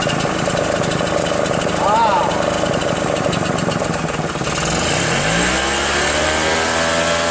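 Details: RedMax EBZ8050 gas backpack blower two-stroke after installing new piston rings; it was hard to pull: rough repeated pull-start attempts, then it catches, climbs in pitch and settles into an even, steady run.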